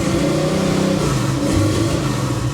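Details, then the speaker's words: 1977 Monte Carlo, possibly not yet warm and not idling well, revs unevenly, stuttering and fluttering as if the ignition cuts out; timing set far off, too much fuel also suspected; misfire on acceleration from incorrect ignition timing. "how it stutters when you rev It Up actually flutters like the ignition is cutting out right there right"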